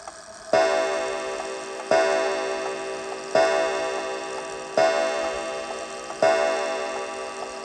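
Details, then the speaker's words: Antique count-wheel kitchen (parlor) clock, strike operated manually by lifting the lever: eight evenly spaced bell strikes about every 1.4 seconds, lever drops into a deep count-wheel slot to stop; normal strike. "so there was eight strikes i was a little off there and you can see the lever went into one of those deep teeth which arrested the striking movement"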